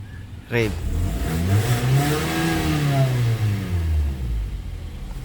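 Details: 2010 Hyundai Tucson with hard starting and low power, after the ECU's failed capacitors were repaired and it was refitted. The engine catches at once on the first crank, revs up smoothly and settles back evenly: a clean, healthy start.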